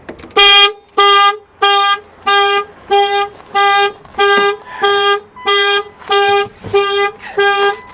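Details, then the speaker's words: Salvage 40k-mile Porsche Boxster started at auction: the engine runs while the horn blares in on-off blasts about 1.5 per second without stopping. The anti-theft alarm has tripped; normally it is cleared by unlocking with the key in the door lock. "it runs but the horn won't shut up"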